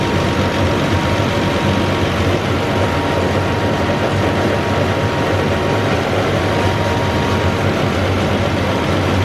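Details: Massey Ferguson 40 diesel combine, about 1996, sat 3 years, after fuel system bleeding and restart: loud even rumble holding steady with no knocks or misses, running on its tank, slight smoke expected to clear; normal diesel running.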